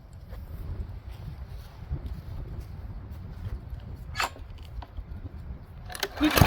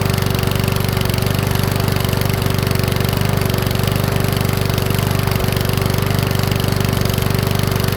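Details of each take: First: Powersmart 170cc lawnmower (hard to pull) after valve adjustment and governor tab bent to raise speed from 2900 to 3100 rpm: steady even drone at governed speed with no surging; running normally. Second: Powersmart 170 mower, Briggs & Stratton-type engine, after valve adjustment: running at steady revs with regular pops about three per second, rough. Popping blamed on valves set too tight, to be backed off slightly.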